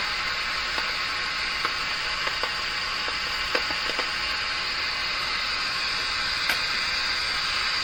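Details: Grundig Prima Boy Luxus radio with intermittent FM reception: steady loud hiss with no station, broken by irregular sharp crackles every second or so; FM static with crackling, suspected cold solder joint, reacts to flexing the board.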